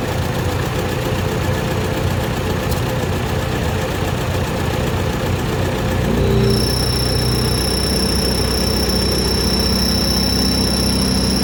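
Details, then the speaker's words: Ford NAA Jubilee tractor petrol engine after retiming the distributor, resetting points and curing a two-cylinder misfire found with a thermal gun: even, steady low idle rumble, no missing beats, even heat across cylinders. "so much more even eat through the center here it's running a lot smoother so a lot easier to diagnose misfire out"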